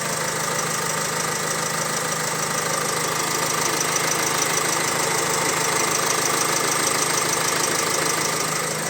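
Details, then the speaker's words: Opel Insignia, about 2020, 1.6 B16DTH diesel, 136,000 km: idle with regular metallic chatter about two per second after start; timing chain stretch suspected, not confirmed; rattle at idle. "трещит треснуло в начале и затихла потом и есть у нас видео когда она запустилась начала трещать и потом при работе трещала ещё больше"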